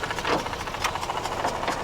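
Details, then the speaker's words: Mazda RX8 rotary from auction, cold start with about two minutes of running: uneven, lumpy idle that keeps dropping, with light irregular tapping. Two unexplained noises are heard, and the owner suspects it may be missing. "So 2 horrible noises that probably shouldn't be there. Something we should say, it's been running for probably about 2 minutes now. The idle's dropping right down."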